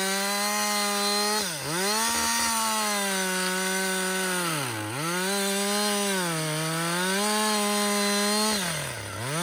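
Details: Husqvarna 562XP two-stroke chainsaw, back from the dealer after being reflashed for dying when hot and failing to start, now hot after long continuous cutting: high steady scream sagging as the chain bites, climbing right back each cut; normal running under load.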